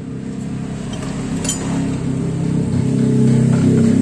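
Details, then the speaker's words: Mazda CX-3 with the engine running, loud low buzzing rattle pulsing about four times a second from the front blower motor, with or without AC on; the fan bearing is failing. "answer ini terdengar bunyi bergetar atau bunyi berisik pada bagian depannya Ya udah bisa menandakan motor Hai kipasnya atau motor blower nya bearing nya yang mengalami kerusakan"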